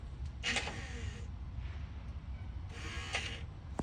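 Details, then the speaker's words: 2nd gen Toyota Tacoma with anytime-locker mod via 12V relay: two short clean whirring bursts about two seconds apart as the locker engages then releases on the switch; normal locker operation. "So those two bumps were me turning it on and turning it off."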